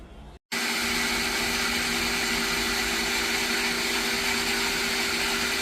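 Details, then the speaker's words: Pedrollo water pump (made in Italy) that leaks: water seeps when stopped, and it runs with a loud, rough, hissing whine over a steady hum, strained as if something labors inside; a worn bearing is suspected, and it is being removed for bearing replacement. "Imbes na nakasarado dito, may konting singaw tapos medyo maingay na yung ating ah water pump."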